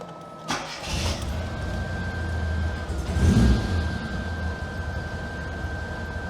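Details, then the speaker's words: Classic Mini MPI after engine reassembly and head gasket repair, startup: cranks and catches, then idles rough with an uneven, lumpy beat and faint steady whistle; owner suspects a failed vacuum line or sensor. "it isn't idling perfectly to say the least so it could well be that one of these vacuum lines or sensors is well kaphut"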